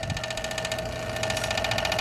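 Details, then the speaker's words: Toshiba SD-2800 DVD/CD player (2002): quick, steady ticking rattle over faint motor hum, disc stopping and restarting; center magnetic disc clamp seems out of balance, suspected, not confirmed. "seems to be kind of out of balance and it had a this little metal piece there's a magnet inside the round magnet seems to be getting out of balance again"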